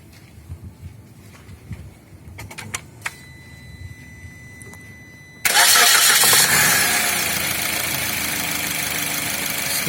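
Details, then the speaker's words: Suzuki Ertiga after coil check and tune-up (spark plugs, combustion chamber cleaning, coil refitted): engine catches instantly and settles to a steady, even hum with no misfire; running fine. "terpasang dan mesin bekerja dengan baik."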